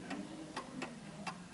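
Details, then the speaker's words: German Napoleon hat mantel clock with Westminster chime (Baden-made) on an uneven surface, being set in beat by nudging the adjustable L-shaped pendulum crutch; ticks uneven long-short, tick longer than tock, so the clock is out of beat. "you can hear it's uneven The Tick is longer than the Tock so let me try that again then I'll try it back again"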